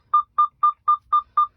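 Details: 2021 Freightliner Cascadia, 79,747 miles: with full air tanks, releasing the parking brake brings a low-air-brake dash warning and steady beeping. It is a false warning from a failed pressure sensor under the driver-side dash, behind the accelerator pedal.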